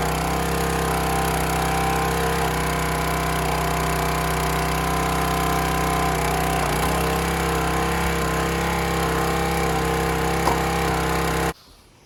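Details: County Line 25-ton log splitter engine after carburetor cleaned of rust and water, fuel tank refilled: steady even drone holding speed cleanly for about eleven seconds, then cuts off; running healthy.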